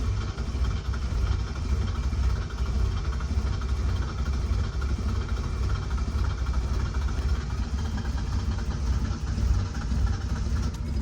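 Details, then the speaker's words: 1977 Toyota motorhome, first start after months parked; owner suspects he flooded it. Low, lumpy, stumbling engine note barely staying running right after catching: rough running after cold start. "It's like kind of running. I'm gonna just leave it."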